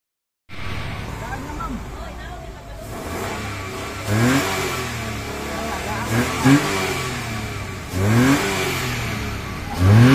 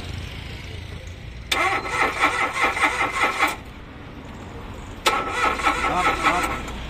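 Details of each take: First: Mitsubishi Mirage that had been cranking without starting: steady idle with four quick, clean revs that rise and fall smoothly, no misses or knocks; engine now runs healthy. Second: Mitsubishi Mirage cranking but not starting: two even two-second cranking spells that never catch; fault traced to the fuel pump wiring.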